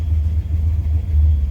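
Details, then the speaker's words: Junkyard Fox-body Mustang with cam, turbo build, 3-inch exhaust, warm at 200°F with fans on, good oil pressure: loud lumpy steady idle around 800 rpm, healthy; surges when fans kick on pending 3G alternator upgrade. "Temp's good, staying right at exactly 200 with the fans, idling right around 800."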